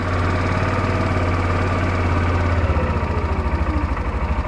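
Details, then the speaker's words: Yamaha Rhino with 1942 Jeep GPW body kit, sat about five years, old fuel, carb bowl primed by squeeze bottle, started on choke; steady low single-cylinder idle thump, even with no knock or miss, normal healthy idle. "We should be able to start it. And let's see. Pull choke. Sounds good."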